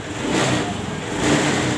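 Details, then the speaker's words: Honda Scoopy fuel-injected scooter, after cleaning the fuel filter and working around weak fuel pressure (below 20) that caused surging and stumbling: revs rise cleanly and immediately on throttle with no hesitation. Fuel delivery is now healthy. "gas atau tuas gasnya di gas langsung enak ya teman-teman langsung respon tidak ada jeda seperti tadi"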